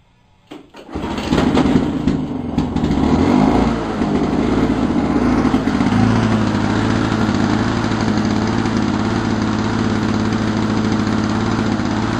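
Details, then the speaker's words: 1987 Lawn Boy mower, model 4262, after carburetor passage cleaning, governor spring replacement and fuel bowl fix for low rpm and stalling: catches within a second, surges briefly, then holds a steady even buzz without hunting or stalling. "But anyways, it runs really well, probably a lot better than a lot of that junk you buy at friggin' crappy tires or something, you know. It's a good old motor, and let's hear it rock."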